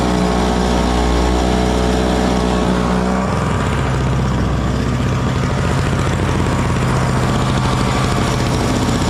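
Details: Frontier backyard mini snowblower, small petrol engine, clearing snow on a cold day; steady, even drone holding speed through the load, running healthy – normal running under load.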